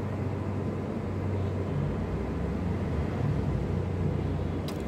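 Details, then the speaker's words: Perkins diesel generator engine that would not start despite good battery. Pump gives no vibration at 12 V and is to be replaced; suspected air lock. Engine is long unserviced and dirty. After a manual start it drones at a steady, even speed. "Battery condition ভালো আছে, but engine start হচ্ছিল না। এখন manual start দিচ্ছি।"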